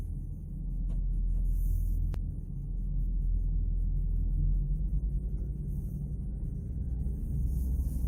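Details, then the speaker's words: 2004 Ram 1500 Rumble Bee 2WD pickup driving in gear after rear wheel bearing and seal replacement (torn seal had leaked fluid, bent parking brake plate), axle refilled with gear oil: low even rumble, no more clunky rubbing noise; normal rear axle operation. "So far, so good. Huh, doesn't make that clunky rubby noise."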